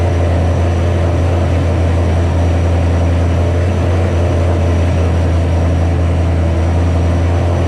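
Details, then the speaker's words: 2007 Ford GT500 supercharged V8 at first start after L&M NSR cam install with Venomous tune: loud deep drone held fast and dead even, idling well above normal; initial start idled too high, later brought down by a tune revision. "pretty much you saw the car start up idled real high let it go i was looking around at stuff and turned it off"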